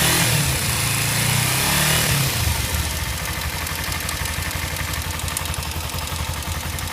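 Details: Kawasaki Ninja 250cc engine settles to idle with a light, regular ticking over the exhaust burble; cause unknown.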